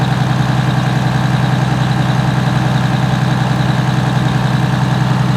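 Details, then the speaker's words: Allison V730 transmission motorhome diesel revved toward 1900–2000 RPM cruise speed, heard outside at the engine: steady drone with a thin constant high squeal rising with revs, loudest at the power steering pump, the source of the rear-bedroom highway whine. "The pump, but yeah, it's the highest squealing right there."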